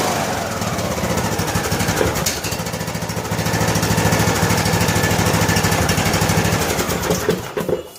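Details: John Deere LA105 riding mower after oil, air filter and spark plug service, cold start on choke: single-cylinder thumping that swells and sags every second or so; the surging goes away once warm.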